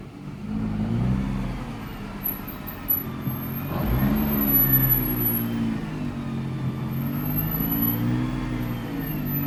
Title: 2017 Nissan GTR screeching chirping sounds